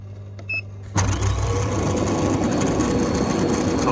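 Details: Intex PureSpa hot tub bubble blower, which had stopped working after winter storage, switched on after repair: sudden steady roar holding an even hum with no rattle or surging; normal operation, fix worked.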